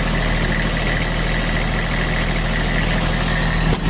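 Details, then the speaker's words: Kubota Aste A-155 four-wheel-drive three-cylinder diesel mini tractor with rotary tiller, idling: steady even diesel clatter, no misses, knocks or speed swings; runs smoothly, normal idle. "По работе трактора также, я думаю, слышно, что работает ровно, без вопросов."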